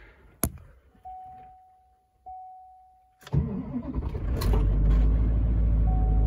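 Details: LBZ Duramax diesel truck cold start at -11°F after a -12°F night, 9000 ft altitude, one grid heater cycle: chimes, quick crank, catches at once into a loud steady fast idle, slight turbo whistle; normal cold start.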